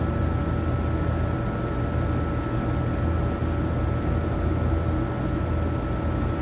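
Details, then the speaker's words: AC unit on a no-cooling call in 100-plus degree heat: condenser fan runs with a constant electrical buzz as the compressor hums but never starts; system also low on refrigerant, hard start kit considered. "I think we got a dead compressor um see the condenser fan motor on contact pull in condenser fan motor point8 but watch the compressor I hear it like making a buzzing noise"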